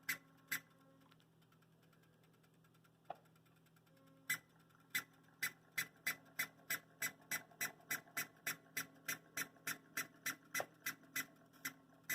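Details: Broadway Limited UP 4-12-2 hybrid model locomotive, smokebox switch and sound off. A constant background click, and sharp chirps synchronized with speed as it moves. Owner unsure if it's a bad decoder or a mechanical fault.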